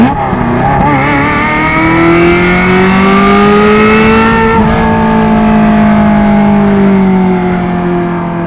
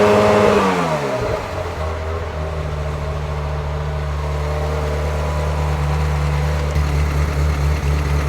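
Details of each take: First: 1994 Euro-spec Ferrari F355 GTS, about 78,000 miles, Capristo exhaust open, high-flow cats, gated 6-speed: high-revving flat-plane V8 howl climbing smoothly through the gears, normal healthy acceleration. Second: 1994 Euro-spec Ferrari F355 GTS, 80,000 miles, Capristo exhaust and high-flow cats, warm at idle during emissions test: steady V8 drone that wavers and stumbles, not a miss; rough idle.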